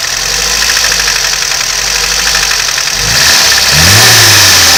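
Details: VAZ 2101 engine; sharp, regular metallic knock over the idle quickening as revs rise; engine knock, source undetermined.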